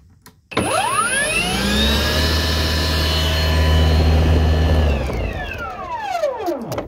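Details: Ryobi battery snow blower, after grounding the handle with a ring connector and with the battery data line disconnected: motor whirs up smoothly to a steady even hum, holds speed, then winds down cleanly; nothing rough or intermittent, running normally.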